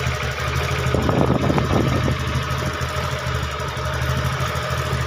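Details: TVS Ntorq scooter after repair of a khatang-khatang knock, idling without silencer: fast, steady low putter about four beats a second, slightly uneven patter, no knock. Normal idle.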